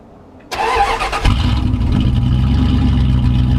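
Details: 1995 Dodge Ram after dropping the tank to replace leaking fuel and vent lines, tank reinstalled and pump primed by cycling the key: a short crank, fires at once into a steady even idle. No leaks found afterward.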